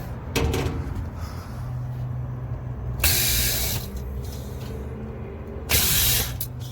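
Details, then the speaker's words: Lennox package rooftop HVAC unit after a trouble alarm and tripped breaker, blower tightened: compressors run with a steady low hum, smooth and even with no knocking or rattling between louder gusts; normal running, alarm cleared. "compressors sound good we got our blower all tightened up that sounds good there it goes my alarm went away it's it's waiting to restart"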